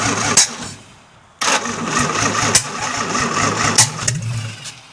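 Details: 1952 International L130 rat rod, stock engine after years sitting, points sanded, stuck-open throttle fixed, no exhaust: fires and settles into a loud rough-edged idle running steadily on its own; compression test still pending.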